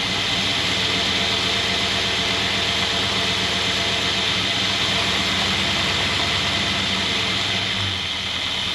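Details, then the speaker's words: 1963 Jaguar Mk10 with a Mopar 440 V8, off the road since 1972, 80 psi oil pressure: steady, smooth, quiet idle with a quick even pulse and no knock or tick; healthy. "Smooth, quiet. Sounds good to me. Sounds really good."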